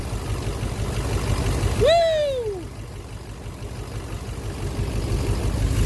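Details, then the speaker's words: 2009 Chevrolet Silverado 3500 Duramax LMM diesel, 59,900 miles, intermittent knock since 57,500 miles, oil analysis clean. Warm idle with one injector (number 5) unplugged runs even with no knock, pointing to that injector; suspected, not confirmed. "fun now it's back it's gone yeah it's gone the knock is gone"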